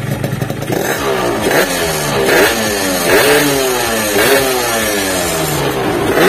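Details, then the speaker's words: Yamaha RX King two-stroke, complaint of no speed and weak climbing, after draining dirty fuel and repair, stationary revving: crisp repeated throttle blips rising and falling cleanly, no stumble or hesitation; performance good, normal revving. "Saya akan menyalakannya. Tapi tutup tangkinya belum saya pasang. Performanya bagus. Aku akan menginjak pedal gas ."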